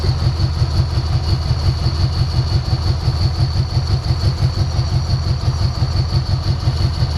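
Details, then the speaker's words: 1990 Ford Mustang 5.0 GT V8, sat over 4 years with engine apart: loud lumpy idle stumbling about three pulses a second; misfire clears when sprayed, so owner suspects bad injectors, a fueling not ignition problem, unconfirmed. "all right the way it's clearing up when i spray it in there makes me think we've got bad injectors all right so it's not going to be ignition it's going to be some sort of a uh fueling problem"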